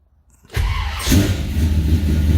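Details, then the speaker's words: 1978 Ford Courier, cold and unrun for a few weeks, after coolant leak repair sealed with RTV: brief crank, catches cleanly within a second and settles into a steady, even idle; healthy cold start, plenty of oil pressure. "Yes, the battery is charged enough. You can see, she's cold. So we're just going to actually let her just sit here on hot idle for a bit."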